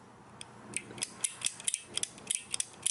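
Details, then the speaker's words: 60 W Chinese laser engraver water flow switch removed and opened, paddle pushed by hand: crisp sharp clicks as the microswitch snaps on and off properly; switch had failed by leaking. "you hear the switch clicks simply from an off to an on position so as water's flowing through or push down on this and it'll be on the on stage you can hear the clicking on here"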